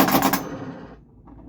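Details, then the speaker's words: Bally Frontier pinball during playtesting after restoration: a quick rattling burst of rapid spinner clicks under half a second that dies away cleanly. The spinner turns freely and sounds healthy. "Oh, that's such a nice spinner rip."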